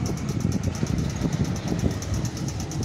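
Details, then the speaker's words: Ceiling fan running with a steady low hum and a fast, even ticking about three times a second, an abnormal noise whose source is not yet found; a loose upper canopy or a failing motor are possible causes. "यहां पर देखिए हमारे सामने जो ceiling fan चल रहा है इसमें से आप सुन सकते हैं या ऐसा हमारा साउंड निकाल रहा है ये देखिए"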